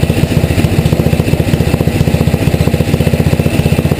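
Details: Tecumseh HM80 single-cylinder engine, relatively warm, choke off, after carburetor needle set one turn out from seated; even thumping about three to four beats a second at a clean, settled idle.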